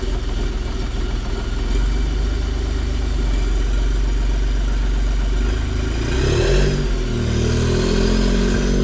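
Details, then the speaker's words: Smart Fortwo CDI diesel after installing slide-in EGR block-off plate: steady even idle clatter, brief rev dropping back smoothly, no knocks or misfires; normal idle. "It's all installed. I'm going to start it up and just make sure everything is working as it should."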